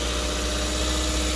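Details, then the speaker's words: Chrysler 200 with intermittent no-crank no-start, started with jump voltage supplied: constant smooth petrol idle, faint steady hum, no stumbling; normal idle, though warning lights suggest low battery voltage and the battery needs replacing. "All right, let's see. Yep, cranked up, and I am running. A couple of lights on, checking the light."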